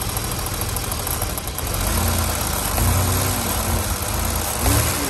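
Steady idle with a faint, quick light ticking riding over the engine note, consistent with a noisy lifter; cause not pinned down.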